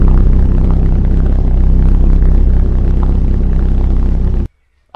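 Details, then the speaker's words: 2006 Dodge Viper SRT-10 coupe V10, first start after tune-up (oil, fluids, plugs, belt, thermostat, coolant, cleaned throttle body), coolant cap off to bleed air: barks awake, settles to deep steady even rumble, no misses or knocks, healthy. "there you have it first start since we did our tune up and everything seems to run awesome"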